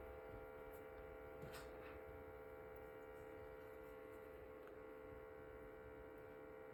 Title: Ailinke Humidifier making noise MG 2587